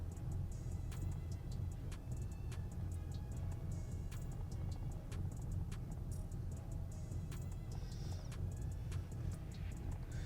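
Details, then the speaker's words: Ford F150 pickup idling in park after throttle body cleaning, earlier settled about 1200 RPM; low, slightly uneven idle with faint irregular ticks, still idling a bit rough, cleaning probably did not fix it, cause unknown. "So it's still idling a bit rough."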